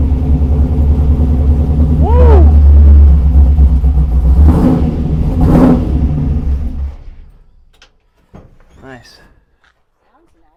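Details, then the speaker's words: 1948 Mercury pickup, first start in over 50 years, electric fuel pump on with fuel pressure: a deep uneven V8 rumble runs about six seconds on fuel poured into the carburettor, then sags and dies. Owner suspects a gummed-up carburettor. "So, it worked when we poured fuel down the hatch. So, let's try that again. And we'll uh try to turn the fuel pump on while it has fuel in there."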